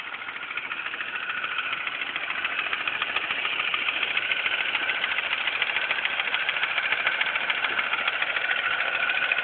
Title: Mini cooper s idle ticking noise.3GP